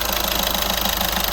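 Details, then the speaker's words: 2014 Skoda Superb 1.6 diesel after turbo wastegate actuator replacement (old one broken inside, noisy): fast even diesel tick at idle with steady hiss, no rattle or whistle; noise gone, repair done. "as you can see, there's no more noise and the job is done."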